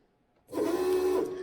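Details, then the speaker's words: VW Beetle electric fuel pump hums steadily with the fuel rail pulled out. Injector number four keeps spraying even when unplugged, so the injector itself is stuck open, not a wiring fault. "injector number four is stuck on so if I unplug it is it a wiring issue or is it injector issue"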